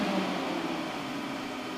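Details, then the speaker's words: Meanwell RSP power supply internal cooling fans and amplifier fan controller in a single BLF188XR LDMOS amplifier; even airy rush with faint steady hum, no rattle or grind: normal cooling fan operation. "look at now you can hear the fans and the power supply now you can I love to have control over fans"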